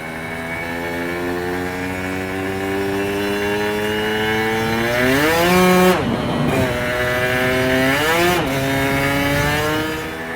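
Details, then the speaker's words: 1990s Aprilia RS125 two-stroke race replica, first road ride on premix: engine buzz climbs, then revs flare without pull twice as it reaches the power valve; clutch slipping badly. "Well, it's not completely happy. No, the clutch is slipping really badly, to be fair. You can probably hear it, can't you?"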